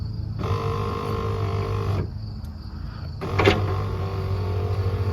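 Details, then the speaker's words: C4 Corvette power window running on a known-good passenger-side switch fitted in place of the dead original. Two clean runs of steady whir, each ending in a firm stop: the window motor works normally. "So, you're telling me every time I want to roll my window up, I'm going to have to switch buttons."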